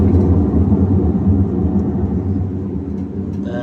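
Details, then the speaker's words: Whirlpool Cabrio stator-driven top-load washer, no error codes, in spin: a deep, continuous roaring growl rising and falling slightly, the sound of a worn tub bearing going out. "what I look for when I'm looking for bad bearings. That's a bearing going out."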